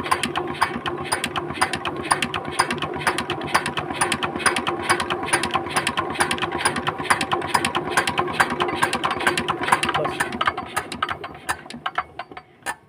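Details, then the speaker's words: Changhuang R175A single-cylinder diesel being restored, injector nozzle tested outside the engine after adjustment: crisp, evenly spaced ticks a bit over twice a second as it sprays; clean, sharp crackle, injector working properly. "দেখুন বন্ধু খুব সুন্দর কিন্তু একটা sound চলে আসছে এরপরে কিন্তু আমাদের ইঞ্জিনের মধ্যে আর এডজাস্ট করতে হবে না"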